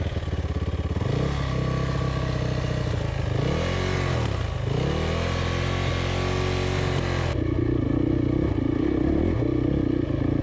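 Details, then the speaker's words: Single-cylinder dirt bike in a deep riverbed water crossing keeps cutting out: engine revs unevenly, stumbles, sags and catches over splashing; owner says it died from the coil and dislikes deep water though not sucking water. "so my bike doesn't seem to like the deep water at all it keeps cutting out and that makes it difficult to do water crossings"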